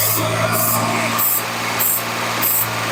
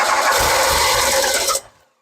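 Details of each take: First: 1981 DeLorean with 4,690 miles, sitting since 1997, brought back to life with fuel and carb spray down the intake. Idles steadily and revs cleanly with no ticking, knocking or rattles; sounds fantastic, engine healthy. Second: 1981 DeLorean with 4,690 miles, sitting since 1997. About 1.5 seconds of steady starter cranking with a faint cough and no catch. Spark is present: cranks but no start.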